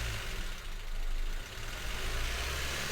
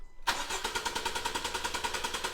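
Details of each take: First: 2016 Honda Civic 1.5 petrol at idle, flashing engine light, code P0303: lumpy, uneven pulse with occasional dips after clearing codes; cylinder 3 still misfiring, later traced to its injector. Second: 2016 Honda Civic petrol with P0303 cylinder 3 misfire, cranking with coils disconnected: starter spins engine with smooth even cadence, about eight pulses a second, ruling out compression; injector or coil power/ground next suspected.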